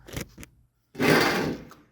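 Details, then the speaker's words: Mazda 3 front strut top mount bearing, removed from the disassembled strut and turned by hand: rough gritty grinding, stopping and starting, binding; installed it caused a spring crackle when turning; worn bearing, replaced with new mount and bearing. "Чува се отвратително и доста запънато работи. Когато беше на мястото си, при въртене се чува едно припукване на пружината."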